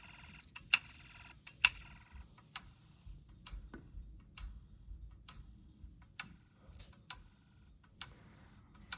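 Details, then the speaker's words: Snap Circuits hobby fire alarm panel on call point activation: the toggleable meter ticks sharply and lightly about once a second, slightly uneven, in a quiet room; normal. "All right, let's give it one more uh call point activation. Let's make this satisfying."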